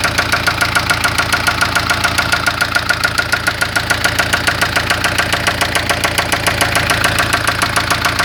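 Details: 1996 Spanish-built Ford Fiesta at idle: sharp, very regular tapping about 140 per minute over a steady idle; owner reports a lot of engine noise, cause unknown.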